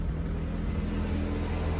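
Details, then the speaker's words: Ford Focus ST170, cold start in the morning with almost no fuel, backfiring: a low uneven idle with a lumpy, stumbling beat that later settles. Misfire. "he's making one hell of a dodgy noise just then should we see if it's still doing it we don't know if it's running out of fuel I mean it's got no fuel in it but what know he's backfiring"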